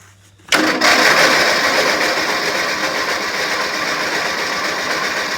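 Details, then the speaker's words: Engine at cold start: quick, fairly even knock about three per second over a rough clatter, which goes away into a tick once warmed; owner suspects a piston ring. "has the knock to it I'm not too sure why I'm sure it's a piston ring or something but after it starts running for a bit it just completely goes away and turns into a tick"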